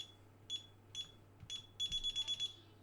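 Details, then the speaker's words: DSC home alarm keypad after setting sections 014 and 017 for siren squawk, code entered manually: sharp high beeps, three spaced singles then a quick run of about six, with no siren chirp; normal arming beeps. "okay so now if i use the quick buttons you hear the chirp"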